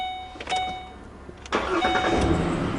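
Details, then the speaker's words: 2008 Ford Explorer with a newly installed starter, previous no-start, rainwater intrusion from a poorly sealed windshield, and a communication fault: a few dash chimes, then a short crank that catches cleanly into a steady, even idle. Normal start. "she does start back up now"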